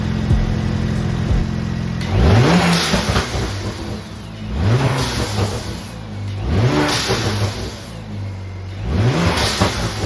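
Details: BMW E92 335i after replacing O2 sensors that had fallen apart: four sharp revs, each followed by a quick whoosh as the throttle closes; the diverter valves vent normally.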